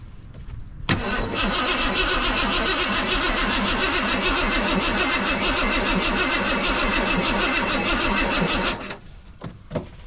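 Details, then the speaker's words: 1990 Ford F250 with a 351 5.8 V8, junkyard build on a cold morning: the starter turns it over steadily but sluggishly for eight seconds without catching. The weak battery was swapped for a new one. "The battery sounds just a little weak. Let's give it her a little help."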